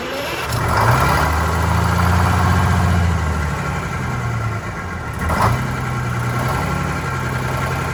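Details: Vintage diesel bus on a very cold day, just after re-priming the fuel system with air present: the idle is uneven, the beat surging and sagging every few seconds instead of settling. A fuel priming or air issue is suspected, not confirmed.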